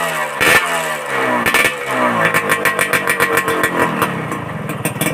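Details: Suzuki Satria 2-stroke with local aftermarket exhaust, before fitting glasswool packing: blips and revs with thin, tinny, can-like rattle on exhaust note; tinny rattly exhaust from under-packed muffler.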